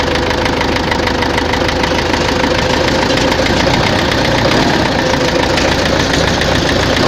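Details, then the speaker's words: Tractor diesel idling with a hard regular knock over the clatter; heard at idle and mid revs, not high; fuel pump and injectors ruled out; head fine, heavy wear found in cylinder 4. "Щось у тракторі стукає. Топлівний возив, форсунки возив, не воно. Що? Буду розбиратися."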